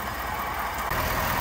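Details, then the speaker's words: 2022 Ford F-350 idling in 4x4, in neutral then drive, wheels off the ground and spinning, after hub seal replacement on the front axle shaft: only an even drone, no grinding or whirring from the front axle; the former 4x4 engagement noise is gone. "all right underneath it same thing as we did last time but there's absolutely no more noise coming from this Hub seal that you saw us replace on that axle shaft"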